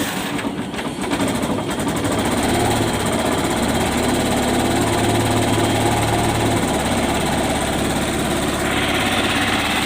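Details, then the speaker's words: Yamaha YTX 125 single-cylinder idling after tune-up and valve clearance adjustment (intake 0.08, exhaust 0.10) meant to cure earlier noise: even, quick putter settling into steady idle, no clatter or ticking; sounds good, healthy. "guys maganda ang tunog niya guys"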